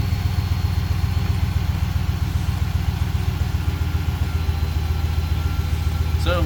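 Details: 2013-2023 RAM 1500 after installing a Jet Performance Stage 1 Dynamic Spectrum tuning module on the ECU: deep, steady idle rumble with an even beat, no stumbles or ticks, no warning lights; healthy.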